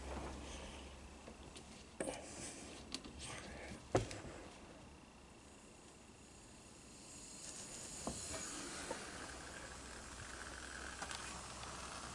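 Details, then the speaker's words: 1984 Honda ATC200M with almost no compression, leak-down test with the engine silent: a faint steady hiss over some clatter; air seems to escape past both intake and exhaust valves, though the test was called inconclusive. "seems to be leaking out of the intake or the exhaust i'm going to turn the air up just so we can hear it a little better seems to be leaking out of both yeah this thing uh this thing the valves are shot"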